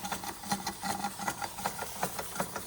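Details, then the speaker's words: Antique Bing 130/382 poppet-valve steam engine on original burners, about 15-16 psi, condensation going up the chimney: quick regular chuffs about five a second with a faint hiss, running smoothly; normal running. "What a beautiful machine. You can hear the condensation now. Going up the chimney."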